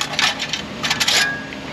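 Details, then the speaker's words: Exhaust heat shield on a lift, engine off, shaken by hand: tinny metallic rattling in short bursts because its broken clamp band has come apart. "these things break apart and it causes you hear that causes this heat shield to rattle"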